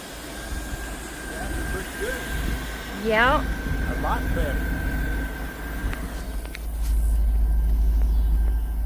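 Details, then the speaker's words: 2000 Cadillac Escalade V8 idling at about 900 rpm after the distributor cap and rotor fix cured a crank-no-start: low, steady, even beat with a faint whistle and no misses. This is the highest idle since it was bought. "Almost dark, but uh you can see it's right at 900. And that's the most it's idle since we've had it."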